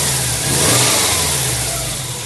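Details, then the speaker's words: 1999 Subaru WRX GF8, EJ205 turbo flat-four, warm after a coolant flush, header tank open: revs rise briefly on a blip and settle back smoothly with an even note, no knocks or stumbles, done to purge bubbles; normal throttle response. "So I'm just going to give it a few blips on the throttle, and that also helps bring the bubbles to the top."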